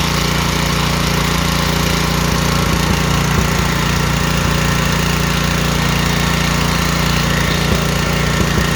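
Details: Honda-style pressure washer engine after carburetor cleaning, started with choke on: small engine holding steady low hum with a few light clicks, no stumbling or hunting; running normally.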